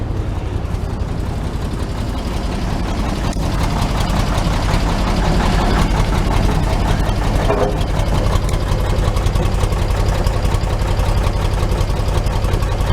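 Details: 1941 Chevy idling without choke, heard at the muffler after finishing welds on the muffler-to-pipe joint: low, steady, even idle, no popping from exhaust leaks; fuel has too much Marvel Mystery Oil.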